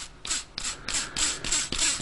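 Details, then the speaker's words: 1998 VW Golf GTI VR6 drive belt pulley, removed and flicked round by hand, gives about three short gritty rasps a second from a worn, rough bearing. This was not noticeable on the car. "She's a noisy one, so you couldn't actually feel that at all or hear that at all on the vehicle. It's only when you take it off and"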